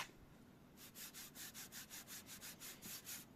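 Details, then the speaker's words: Scratchy rubbing strokes, about five a second, with a dry gritty hiss while testing polishing paste on a freshly painted car panel; paint surface very rough, different in texture from the older-painted bonnet, needs sanding. "Painted very very rough. When you compare it to the bonnet which was painted some time ago, it's uh the structure of of the paint is much different."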